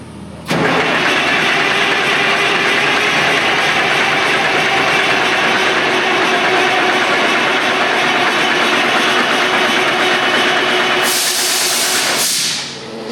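Long, steady starter cranking with the engine never catching; it keeps turning over without firing, likely from fuel not reaching the pump.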